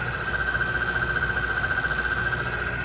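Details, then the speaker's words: Ultimate Advantage 6535 unit, outdoor section with compressor running: steady high whine pulsing about four beats a second over the hum; noisy outdoor fan motor bearing. "That is an outdoor fan motor making noise along with um the compressor."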